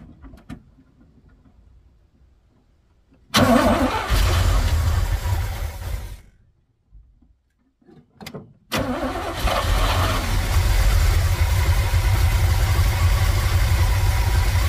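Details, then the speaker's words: 1980s Chevy K30 4x4 dually dump truck, parked for years, first start on a new carburetor with vacuum leaks and a small fuel leak; it cranks, stumbles, then settles into a steady, even idle with no knocks, misses or smoke. Normal idle. "she's idling guys [Applause] sounds good even with all those vacuum leaks"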